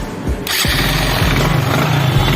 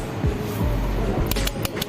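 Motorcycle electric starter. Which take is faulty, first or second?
second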